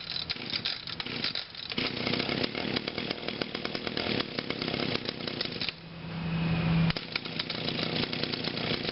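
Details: Brand-new 2011 Echo PAS 230, 22.8cc two-stroke, still breaking in and hard starting, running cold on a 92°F day: a raspy steady buzz with one brief rev swell midway and no misses or knocks, so it is running normally.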